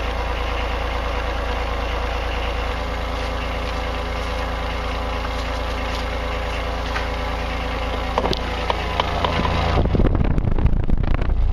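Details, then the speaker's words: Denyo DCA-15SS-N generator with a 1.6 three-cylinder Nissan diesel, 30+ years old, cold-started after years unused: steady low clatter at an even idle, about three beats a second, rising slightly as it warms; normal running. "okay it's climbing in temperature we'll crank it up a little but normal running me"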